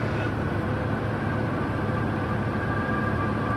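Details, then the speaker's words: Small training plane in stall practice, power pulled back and slowing, getting quieter; a thin, steady, almost whistle-like high tone runs over the quieter engine drone as the stall warning sounds. Stall warning whistle. "almost a whistle [Music] and then you feel the kinetic sense of that wing finding its equilibrium"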